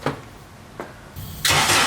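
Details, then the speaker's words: K24-swapped Nissan Cefiro first start on a nearly dead battery, cranked all day: starter drags slowly with heavy thumps on each compression stroke before it fires; battery suspected, timing also possibly off. "It seemed like the battery was just so dead. Like when it was hitting the compression stroke, it would just plug it down."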